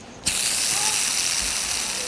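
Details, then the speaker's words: Bronson Raw Jamie Foy skateboard bearings, rust on the outside, before cleaning with Windex: a spun wheel gives a high, steady whir with a gritty hiss underneath. Dirt in the bearings; rough bearing noise. "Now, these bearings look pretty good on the inside. The outside there's rust all over them. And if you listen, you can hear the dirt in them."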